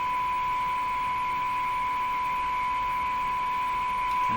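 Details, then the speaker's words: Electrohome floorstanding tube radio during signal injection testing: steady test tone with a thinner higher-pitched whine beside it plus audio wobble, whine traced to interference picked up by the antenna. "of a higher pitched whiny sound could that be coming from the antenna yes that's what it is"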